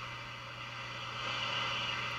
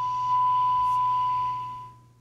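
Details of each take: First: 1956-era radio being aligned, signal generator off, volume up: steady hiss with faint low hum swelling to a peak as the antenna trimmer is tuned for maximum noise; alignment lands correctly. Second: 1956-era radio with an early integrated circuit, dial set to 1600 AM during repair: steady test tone from the signal generator is received near 1400 AM instead, so the local oscillator is out of alignment.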